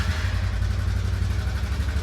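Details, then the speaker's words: TVS Ntorq scooter idling, louder with throttle: steady even tonk-tonk knock from the loose starter one-way clutch nut; fix is tightening the nut and cleaning the one-way clutch. "तो यह है वो दोस्तों ट जो कि ढीला था जो टन टन टन टन आवाज कर रहा था आप देख सकते हैं कितना लूज है"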